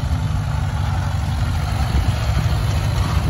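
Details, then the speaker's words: Hand-crank-started McCormick Farmall Cub tractor, of uncertain 1950s or 1960s vintage: low, deep chugging idle that stays steady with no knocking or stumbling. Normal idle. "nice little tractor runs like a runs like a clock"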